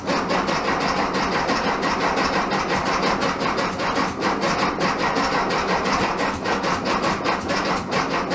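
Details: 1967 VW Bug, big-bore 2387cc engine, cold day (~15°F), after fuel delivery fix: fast steady cranking with sputtering pops that never settle into a run; spark weak, owner suspects ignition and tuning issues.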